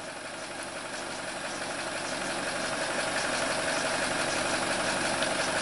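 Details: 2017 Chevrolet Trax 1.4L LUV after the P0171 fix, MAF cleaned then replaced with new, fuel trims reset; steady even petrol idle with smooth hiss and no misses, knocks or surging. Normal idle.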